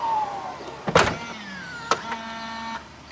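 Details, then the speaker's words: 2022 Tesla Model S power liftgate: motor hum with thin rising and falling squeak as it moves plus a couple of clacks, less refined than a Model 3; cause unconfirmed, owner hopes lubrication fixes it. "That sounds loud. It's not as refined as the Model 3. See, squeaks a bit."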